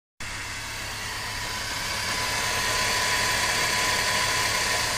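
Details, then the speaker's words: Rover 25 after a coolant change and a correction of the wrongly tensioned cambelt that had caused a noise from the cam cover: steady, even idle with no tapping from the top end; normal idle. "sounds much healthier don't so you can hear the difference"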